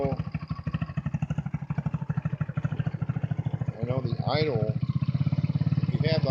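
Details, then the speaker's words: Hammerhead vehicle at the end of its restoration: a slow, loping single-cylinder putter that sags unevenly as if about to die; idle set too low. "idle down pretty low like sounds like it wants to stop"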